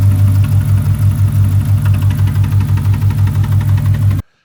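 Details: 2006 Chrysler 300 5.7 Hemi V8, bought cheap, just after first start: strong rapid tick about three per second over heavy idle; owner suspects lifters or rockers, unconfirmed.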